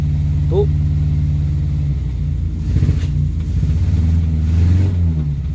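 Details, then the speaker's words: Morris Minor 4-door first start on key after new ignition barrel, with choke: low uneven lumpy idle that keeps stumbling; engine runs but missing, owner suspects points and plugs need cleaning. "it does run even though it's missing."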